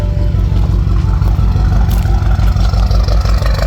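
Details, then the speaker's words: BMW 328i (described as a four-cylinder) bought from auction, with straight-piped exhaust and downpipe: lumpy, uneven idle after a blip that nearly stalls. A misfire is certain; owner suspects a blown head gasket or bad piston/cylinder, and no codes have been pulled yet. "it wants to die at idle and stuff just a little rough but I haven't pulled any codes yet"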